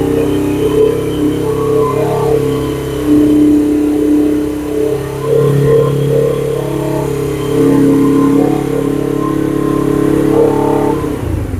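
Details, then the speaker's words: 2007 Suzuki GS500F, first longer run after sitting, warming up on choke: engine rises and falls through several even revs and settles without misses or knocks; doesn't sound too bad, normal running. "Doesn't sound too bad."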